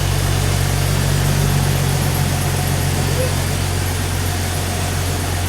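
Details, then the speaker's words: Freshly rebuilt Jeep 4.0 straight-six, flat-tappet cam on high-zinc oil, first start, idling after break-in revs: steady, even low rumble with no knocks or misses, smooth idle; started first try, nothing sounds weird. "but as you can see i'm gonna let off the let off the gas here and this thing is running like a champ it started on the first attempt too uh [Music] nothing sounds weird"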